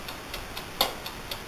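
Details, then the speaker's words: Crisp, even clockwork-timer ticks, about four per second, in a quiet room, recorded up close on a brand-new, never-used Amaco polymer clay craft oven; the timer is running normally. "get up close so you can hear it that ticken sound is actually the timer"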